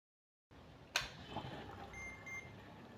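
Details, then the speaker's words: PC power supply connected to a PSU tester and then plugged into mains power: a click, then a short thin tester beep over the soft whir of the PSU fan spinning up. Powers on normally; the tester then reads the 12 V and 5 V rails and PG. "ඔයාලට පේනවා ඇති power supply එක on වුණා කියලා. මේකේ fan එක ඔන්න දැන් කැරකෙනවා ඔයාලට පේනවා ඇති."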